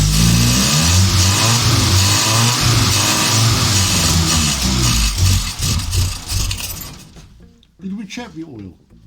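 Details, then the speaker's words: Morris Minor van, first start attempt after long standing, on a leisure battery with petrol poured in by hand: catches and revs unevenly several seconds, then dies as the poured fuel runs out; no fuel coming from the float bowl. "well that's a result i think that run as far as we're gonna go wouldn't it that runs i can't seem to get any fuel into it from the float bowl"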